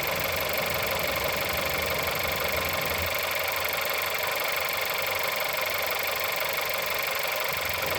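Cold idle with a sharp, regular tapping about four per second riding over the engine; a clear knock from inside the engine.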